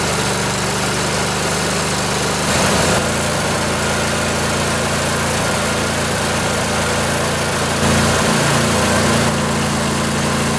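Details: Briggs & Stratton Intek OHV twin (20-22 hp, model 40777, vertical shaft) in a junkyard Husqvarna riding mower after new carburetor and service: steady, even low drone with smooth beat, no knocks or misses; normal idle.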